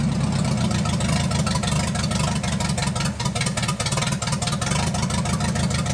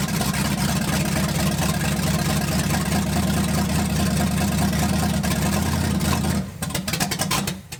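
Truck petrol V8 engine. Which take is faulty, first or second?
second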